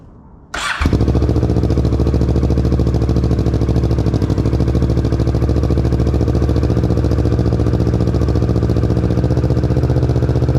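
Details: 2020 Kawasaki Ninja 650 ABS, first start after Akrapovic exhaust install: quiet, then catches at once and settles into a deep, even idle of steady exhaust pulses with no stumbles.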